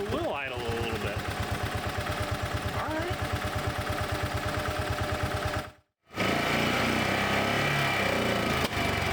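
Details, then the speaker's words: Bobcat Pioneer (Club Car Carryall) utility cart revived from non-running after parts replacement: small single-cylinder engine returns to a steady, even thumping idle with no misses or knocks; sounds healthy. "right go back down to idle yes you will it's idoling all right I like that"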